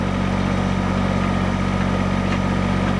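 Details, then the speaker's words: Kubota BX tractor at just under 2000 rpm driving County Line PHD 100 three-point post hole auger into sod: steady diesel drone holding speed under load, no sag; engine bogging signals time to pull auger out. "you can actually listen to the engine on the BX and know when you should pull the auger out of the hole and clear it"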